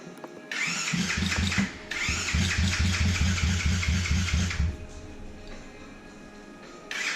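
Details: Custom drift trike with a 125 single-cylinder engine and a newly finished exhaust and muffler; deep, raspy burble with even pulses, blipped up then dropping back, loud and nothing like a 125 but running clean and healthy.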